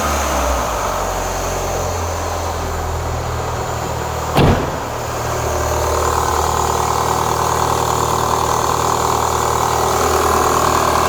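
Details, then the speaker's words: 2004 Renault Clio 182, first start after years; light rattle high on engine at idle and small blip, bottom end sounds fine (not big ends/crank). "that don't sound too bad I mean if it was like big ends crank anything like that it would be a lot more rally that sounds all right to me there's something up the top here"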